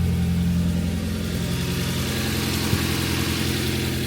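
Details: Nissan 240SX after replacing a severed header gasket that caused tractor-like exhaust noise: deep, even engine rumble at moderate revs, smooth with no ticking or exhaust puffing, much quieter and less reverberant.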